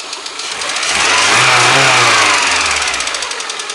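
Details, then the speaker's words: VAZ 124 16-valve engine (2110-12/Priora), hot, after head reassembly with new seals and timing belt set to marks: oil pressure almost 2 bar at idle, 3.5 when revved, yet quick sharp ticking knock comes and goes as revs rise and settle; cause unknown. "То стучит, то не стучит, то стучит, то не стучит. Вот, опять где-то вдали. Опять начинает. Я хер его знает, что еще с ним делать. Ну вот, опять начинает."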